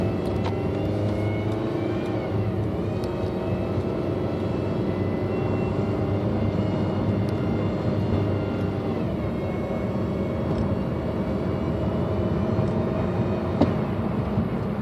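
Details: 2006 Honda Civic while driving: a steady whine rides over the road and engine noise and shifts pitch with road speed. Cause not determined.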